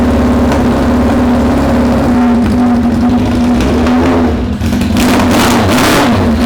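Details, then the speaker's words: Suzuki Bandit 600 first start after setting the carb float heights, through a very loud aftermarket exhaust, with oil smoke burning off. Very loud raspy exhaust with a hunting idle that won't settle; runs rough and needs tuning. "I hope you can hear me, because I can't. That is stupidly loud."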